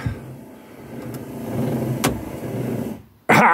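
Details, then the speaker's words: Triumph TR7 wiper motor after repair work: smooth drone through one sweep, then a clean cut-off about three seconds in; the wiper now parks properly, parking issue resolved. "yes uh one wipe I don't know whether you can hear that it parks there you go"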